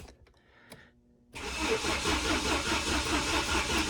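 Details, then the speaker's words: 1993 Saab 900 being revived after sitting: starter churns steadily at about two beats a second, stays engaged and won't shut off, engine never catches; owner suspects the broken ignition coil, which needs replacing. "uh it's still trying to start there we go i got the starter work but now it works too good where it won't shut off um also it still doesn't start"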